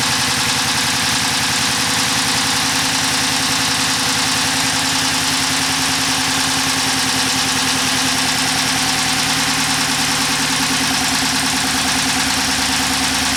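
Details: 2011 Chrysler 300 5.7 V8 at steady idle with a regular hitch, one beat missing each cycle; codes P0300 and P0302, cylinder two dead; scope shows fewer than eight pulses between ignition events, indicating a mechanical fault.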